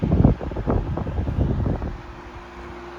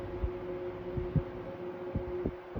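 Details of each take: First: 1973 Frigid (Mitsubishi) 16-inch GT16-S oscillating fan, high speed: bumps at start and end around a steady airy hum, no rattle or ticking; normal running, 1300 ft/min. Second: 1973 Frigid (Mitsubishi) 16-inch GT16-S oscillating fan, medium speed: steady hum with irregular soft clunks about twice a second; rotor rattle, cause unknown, thought to fade once warmed; about 980 ft/min.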